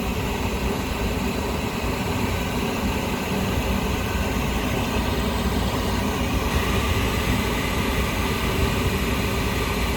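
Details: Lennox rooftop unit on first firing after heat exchanger replacement, with the combustion blower and safeties checked: a steady, even low roar from the burner and blower with no knocks or surging. Normal running; the new part burns off a smell.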